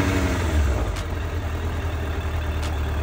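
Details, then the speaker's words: 2008 Suzuki GSF1200S Bandit carbureted, nearly warm at idle: steady, even low idle with no pops, sneezes or hissing air leaks; no vacuum leak heard; normal idle. "никаких чиков нет нигде не подсасывает"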